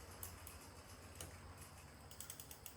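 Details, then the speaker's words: Schwinn 21-speed bicycle left out in the weather since 2017, being cleaned and lubricated: the chain runs quietly, but a sharp irregular click pops as it passes through the derailleur. "once in a while you can hear this click back here as it goes through the dra"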